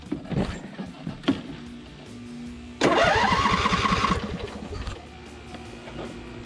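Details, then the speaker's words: Cub Cadet RZT 50-inch zero-turn mower after engine swap, choked start: starter whirs briefly, engine catches cleanly and settles into an even, steady idle with no misses or knocks; sounds healthy. "choking it yeah sounds really good i'll just test it out a little bit and then wash her off and list it for sale"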